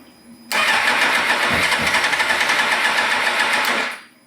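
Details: 2000 Suzuki GSXR 750 after sitting with fuel: starter spins with quick even chatter about four beats a second for three seconds, never fires; low fuel pressure, faulty regulator (spec 300 kPa/43 psi).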